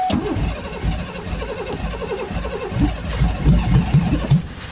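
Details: 1993 car started at −6 °C after sitting unused since June, second try on a fresh battery. Slow, uneven starter churning for a few seconds before the engine catches and stumbles up. Hard cold start, long cranking.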